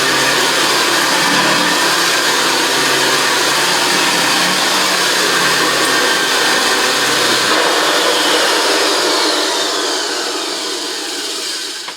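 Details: JaxVax Senior upright vacuum after refurbishment, on carpet: high smooth motor whir with even pitch, no grinding or rattles, then clean wind-down at switch-off; runs like a sewing machine, vibrating the floor.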